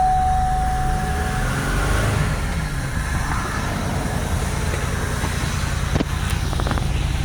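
Engine settles into a rough, uneven idle with an irregular low stumble and loping beat, consistent with a misfire of unknown cause.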